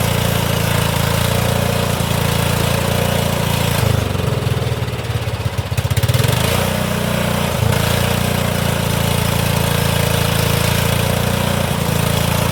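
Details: Old Cub Cadet HDS mower with a possible blown head gasket and a squirrel-chewed coil wire, started without a battery on starting fluid: single-cylinder runs steadily, brief dip, then settles; it runs and drives.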